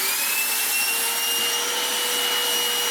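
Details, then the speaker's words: Goblin Solo vacuum cleaner with hacked motor: steady high-pitched whine over rushing air, straining when the disc filter is fitted; airflow badly restricted by filter. "Hear how blocked it gets when I put this filter on. I mean, that is no good at all."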